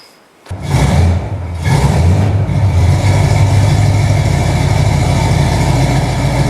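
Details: Chevy 350 V8 with TH350 after a refresh and distributor reinstall, with the fan not yet firmly mounted. It catches quickly, revs briefly, then settles into a steady, even idle with no knocks or ticks; sounds healthy.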